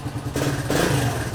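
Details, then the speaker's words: Suzuki DR200, first start after a stage 2 Mikuni jet kit, not yet adjusted, stock pipe while an FMF pipe is awaited, petcock on reserve. Steady low single-cylinder thump with a quick, even beat and no misses or pops: a clean, normal idle. "Hey, it actually sounds like it's running okay."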